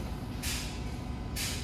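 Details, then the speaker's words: Semi-truck transmission at diesel idle with an improperly adjusted clutch. With the pedal mashed down, the clutch doesn't stop the transmission, giving two harsh rasping grinds going into gear; this wears the sliding clutches and gears: gear grinding when shifting. "when you hear that ground sound you gotta Mash your clutch pedal down and it's not stopping the transmission so you start hearing noises like this"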